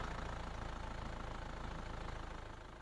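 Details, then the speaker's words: 2006 Isuzu Panther LV diesel at warm idle: even, regular clatter at about four beats per second, smooth and round with no rough sounds. No blow-by smoke at the oil filler. Normal idle. "Belum ada suara-suara yang kasar yang menandakan ada kerusakan gitu, tidak ada. Jadi suaranya masih sangat bulat sekali."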